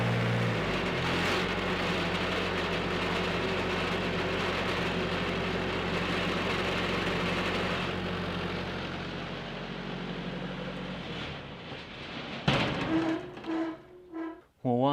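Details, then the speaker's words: Lincoln SAE engine-driven welding machine starter test with a clamped connection. Steady, even engine run with no knocking, missing or starter grind before it winds down; starter and engine are working normally. "why in the world did I change that starter then? Sounds like it's working just fine."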